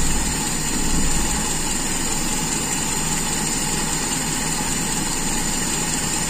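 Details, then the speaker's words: Toyota Kijang Super carburettor engine after closing the air screw further: steady, even idle with a smooth low hum, no hunting or stumbling; idle-to-primary transition shows no stumble, judged normal. "dan kita tes perpindahan dari Stasion ke primer apakah masih nggel tidak tidak terjadi nggel jadi menurut saya ini masih dalam kondisi yang wajar"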